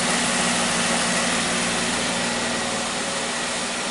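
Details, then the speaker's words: Wrecked 2017 Jeep Wrangler after new oil pan and replacement fuel injector: even, steady idle with smooth hiss, no ticking, knocking or surging, no longer hesitating; small exhaust leak suspected from accident. "But yeah. Other than that, everything sounds great. I am very happy."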